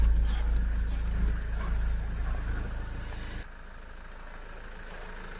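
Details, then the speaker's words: Mahindra XUV500 W10 diesel idling after sitting three months, microphone placed near the engine; steady low rumble with even regular beat, no knocks or misses; owner judges engine noise fine, healthy idle. "இதுதான் வண்டியோட engine noise. Engineers எல்லாரும் கேட்ுருப்பீங்க. இது அட்வான்டட் nice ஏதாச்சும் வருதா இல்லையான்னு எனக்கு mention பண்ணுங்க. என்ன பொறுத்த அளவுல பைனாதான் இருக்கு."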